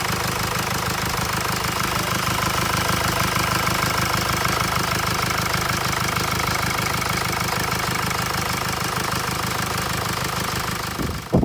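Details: 2016 Mercedes E-Class with 654 diesel engine, after repair of a strange knocking noise and reassembly: a steady, even idle with the usual light clatter and no irregular knock. The engine sounds healthy.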